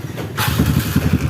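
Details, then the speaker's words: Kawasaki KLX BF (bored-up) after replacing the starter one-way clutch rollers, which had been slipping and rough: a brief starter spin, then the engine catches cleanly and idles evenly with no slipping or grinding. "sip ini sudah jos Ya sudah tidak ngelos lagi sudah tidak kasar lagi starternya"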